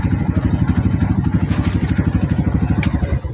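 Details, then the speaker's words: Kawasaki Barako single after tune-up for hard starting, kick-started without throttle; even steady idle thump with no misses, now running fine. "O ayan oh. Okay na yung motor ni Tatang."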